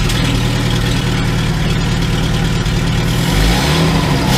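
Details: 2002 VW Gol after starter motor rebuild and injection harness connector repair (phase sensor, ignition coil, coolant temperature sensor): steady, even idle with a smooth low rumble that rises briefly with a throttle blip near the end; runs on all cylinders.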